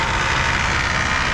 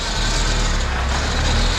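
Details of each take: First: PT Cruiser GT 2.4 turbo on jack stands in first gear with foot on the brake: harsh, steady metallic grinding rasp under drivetrain hum that grew louder with each gear. Transmission is fine; cause is stripped CV axle splines. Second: PT Cruiser GT 2.4 turbo race car on jack stands, wheels spinning in gear after replacing CV axle with stripped splines that caused grinding; steady drivetrain hum through second, third, fourth, no grinding or clunking; transaxle healthy. Motor mounts noted shot.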